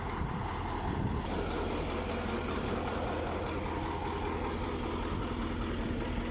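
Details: KAMAZ 6520 chassis diesel, first start after engine overhaul, before running-in: steady, even diesel clatter at idle with a constant low drone and no knocks or misses; the engine idles cleanly.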